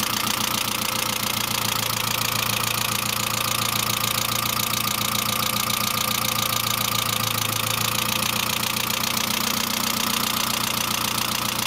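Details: Saab C900 after engine/head rebuild, idle: constant light, fast ticking quicker than firing beat, hydraulic lifter tick; no oil leaks, oil pressure lamp off; oil return leak apparently ruled out, owner suspects not thoroughly cleaned oil pressure relief valve causing low oil pressure.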